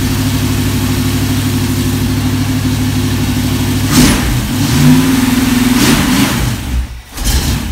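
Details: Old Hank's V8 on a run stand with block hugger headers and mock-up-fitted Flowmaster 60 series mufflers. A deep, steady idle burble with clean blips: a normal, fairly quiet exhaust note, quieter than the earlier similar-size mufflers.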